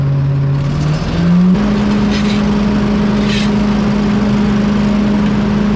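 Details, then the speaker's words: Leaf loader blower on a Walker mower after reassembly: motor spins up then settles into smooth, steady hum without scraping or rattles; working properly. "I can hear it already that it's working you can hear the humming noise"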